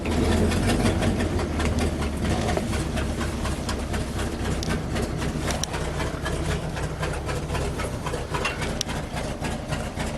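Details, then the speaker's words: 1974 International Fleetstar ex-firetruck, low mileage, big gas engine with automatic: very slow idle around 400 rpm, loping, rough-edged but steady; no air leaks found, sounds healthy and tight. "400 RPM. Well, let's go listen for some air leaks. Man, she is tight. She doesn't even have any air leaks."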